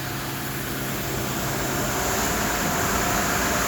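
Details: Tornos CNC lathe making titanium knife screws on a 75-second cycle. A steady, even machining hum with a fan-like hiss and no knocks or rattles; normal production running.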